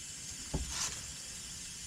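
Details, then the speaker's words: Lennox package heat pump condenser coil, patched and pressurised with nitrogen: quiet steady high hiss with brief clunk, coil still leaking, suspected same leak on the bottom. "Well, that tells me I believe there's still some leakage. Oops. I can hear it leaking. I don't know from where."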